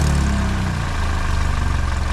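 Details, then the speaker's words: 2012 Hyundai Elantra idling, loud again days after new flex pipe: deep idle with raw puffing exhaust up front; leak at flex pipe-to-manifold flange, not manifold, possibly burnt gasket, to be tightened. "That's where the leak is. Not in the manifold up here. So it's not up here in the manifold. It's right there where the flex pipe connects to the manifold."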